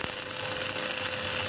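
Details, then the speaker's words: Lakoni 120E 900-watt welding inverter after repair of weak, sticking, fluctuating arc: full, steady hoarse crackling hiss with a thin constant tone, no weak ticking as before repair; arc burning evenly and normally. "seperti itu ya bunyinya serak gitu tadi yang awal cuma trek trek trek trek trek itu beda banget"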